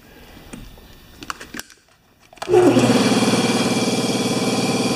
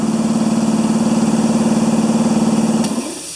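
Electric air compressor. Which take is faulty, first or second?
second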